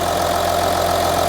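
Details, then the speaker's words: Audi Q7 3.0L diesel after the cylinder 4 injector was replaced (earlier P0272 misfire, P0087, cylinder 4 combustion leak), no codes present: a smooth, even diesel clatter at a steady idle with no misses; normal idle. "this is fixed guys the engine sounds great we no longer have the uh combustion leak that we had over here on cylinder number four the engine sounds a lot better"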